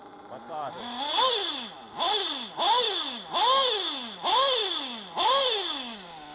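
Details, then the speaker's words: Small RC nitro engine blipped about once a second. A gritty, sand-like rasp and high whine ride each rev over the normal engine sound, almost like a drivetrain turning. The rear bearing is worn out and needs replacing, or the engine keeps getting louder. "do you hear that there's a normal ideal then there's that sound that shouldn't be there that's the rear bearing"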